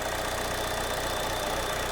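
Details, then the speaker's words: GM 1.4 L turbo Ecotec petrol engine idling with P0171 and maxed-out fuel trims: faint steady high whistle of a vacuum leak through the ruptured PCV diaphragm on the camshaft cover. "you can hear maybe that whistling sound."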